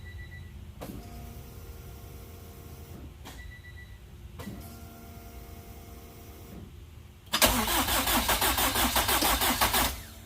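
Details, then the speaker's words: Car just refitted with cleaned, flow-tested fuel injectors, after leak checks, not started for a couple of weeks and taking a couple of tries: a few clicks, then it catches into a quick, even idle. Previously had a 3,000 rpm lean spike; healthy start after the fix. "start her up real quick so this whole she starts out a little bit took a couple chat couple tries"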